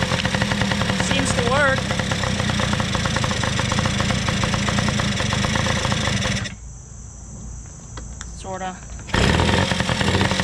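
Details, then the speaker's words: Small two-stroke engine after carburetor work (OEM Mikuni carb reassembled); crisp even popping about four beats a second, briefly dipping then recovering cleanly, idle possibly a bit high: normal running. "we have to put a little air in the back tire and other than that it seems to work great i think i can lower the idle a little"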